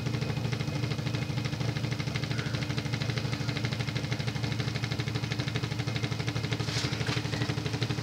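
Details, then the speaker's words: Emerson (Sears) 52-inch friction-drive ceiling fan, late 1970s, shaded-pole motor with rubber drive wheel on metal hub: steady fast ticking over low hum; running knock from worn rubber drive wheel. "things were horribly unreliable extremely noisy not the best performer difficult to use because of the clutchy speed control"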